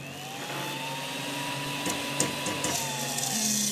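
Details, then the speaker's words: Creality CR-10S 3D printer fan, noisy and due for replacement: steady whir with light ticks a few times a second, as if something hits the blades though nothing does. Fan ticking. "this is making a lot of noise not necessarily just air movement noise but it's also making like a ticking sound like something's hitting the fan but it's not"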